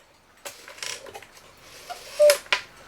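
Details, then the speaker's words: 1969 E. Schmeckenbecher Black Forest cuckoo clock, West German movement, long unused: clicks and whirring, then a thin, weak, breathy two-puff call. Its leather bellows are stiff and still springing open, and at least one has a hole, so it leaks air. "let me see about putting the hand back on and see if this thing will even cuckoo those little wimpy like I say we do have a hold in the"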